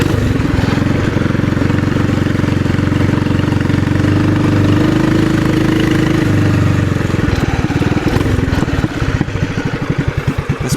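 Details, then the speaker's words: TrailMaster MB200 single-cylinder minibike just restarted after fitting Juggernaut torque converter: steady even putter at idle, deep exhaust note, no knocks or misses; sounds better; normal running. "Try it. Definitely sounds better."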